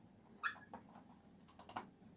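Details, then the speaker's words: Bissell PowerForce Bagless 6594 vacuum cleaner being refurbished, moved by hand with no motor running: two short, high, yelping squeaks from the wheels; squeaking wheels. "That sounded like a puppy when those wheels squeaked."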